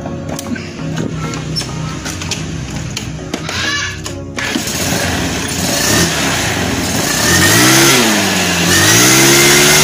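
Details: Honda Beat carburetor scooter with hesitation and no power on initial pickup; test after enlarging and tapering a carb passage; revs climb unevenly, sagging and surging; still hesitates, later traced to too-small local jets, too lean.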